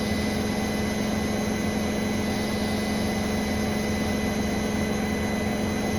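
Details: Brand-new Bosch Serie 4 WAN28281GB washer on a balanced final spin: steady high-pitched squeal over an even spinning rush; door seal clear of the drum; owner wonders whether it is the bearings or the EcoSilence drive belt, unconfirmed.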